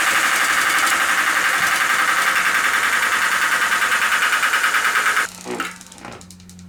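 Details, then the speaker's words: Homemade electric mountain bike, 8000W hub motor converted to mid drive through bicycle chain and gear selector, running at higher RPM: fast rhythmic ticking, three to four per second, over motor whine, then spin-down; a bent spoke strikes each turn, bent back to fix. "Well, it's got a lot more RPM. So this spoke's hitting, so just bend that in. Fixed. Simple."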